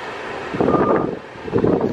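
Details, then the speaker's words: Nissan Xterra after an AC/blower control repair, where before speeds 1 and 2 didn't work and AC switched off: with AC on at speed 1, steady smooth rushing air from the vents with no rattle or squeal, now blowing cold. Normal blower airflow. "Ya tira el aire este frío. So, quiere decir que hicimos un buen trabajo. Y más. Ahí está el airecito. Ya está funcionando."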